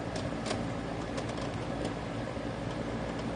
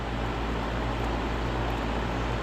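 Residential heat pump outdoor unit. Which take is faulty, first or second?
first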